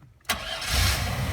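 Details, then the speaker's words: 1997 Chevy Astro van with a no-start traced to a chafed distributor-to-coil wire: engine fires almost instantly and settles into a steady idle. "starts right up"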